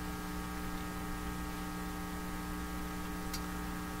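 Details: 1940s Canadian Red Cross tube radio supplied at about 70 volts, no schematic: loud constant low hum with buzzy edge under faint hiss, unchanging; strong mains hum, source not yet found.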